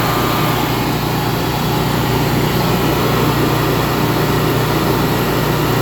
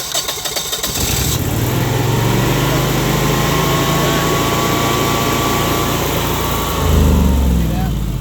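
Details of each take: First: Generac 22K Guardian air-cooled propane standby generator after the faulty LP regulator, blamed for 1501 RPM sense loss stalls, was dealt with: level, unchanging drone holding speed, no surging or stumbling; normal running. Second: Generac 22K Guardian air-cooled propane standby generator with an LP regulator fault: cranks, catches, runs briefly, then sags and dies as fuel pressure drops, setting a fault code; fuel starvation stall.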